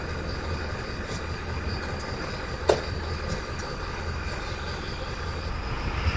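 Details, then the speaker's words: 20-year-old Mercedes Vario diesel campervan, started via battery booster after winter parked in barn with flat batteries; steady low diesel rumble, even, no knocks or misses while air builds for brakes. Normal idle. "There you go. She starts. What a relief. Right, so I'm going to wait for the air to build up, then that way I can let the brake off."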